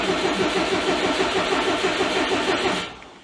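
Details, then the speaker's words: 2002 Subaru WRX, built 2.6L stroker, after 4 years sitting, clutch switch bypassed: steady cranking about three beats per second for nearly three seconds, then the starter drags and fades; starter sticking while oil pressure builds. "The starter looks like it's sticking a bit, which isn't good."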